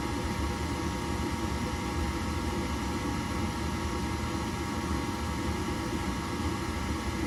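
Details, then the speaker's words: Horizontal gas-fired attic furnace after firing: steady rushing roar with a rough, fluttery hum; blower sounds bad, drawing 4.7 A (inducer 1.8 A); debris caught in the blower wheel is the obstruction. "we're probably going to take an amp draw on this because it doesn't sound good"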